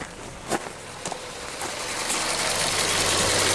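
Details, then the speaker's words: 2017 Ford Transit Connect 2.5L, warm at about 220°F cylinder head temperature, P0116 set: after a few clicks the variable-speed cooling fan spins up, a soft air rush building louder; fan works normally, set to kick on near 212°F and shut off around 206°F. "Yes, it is. Excellent. Ramping up. It's a variable speed fan. You hear it slow down as the temperature decreases."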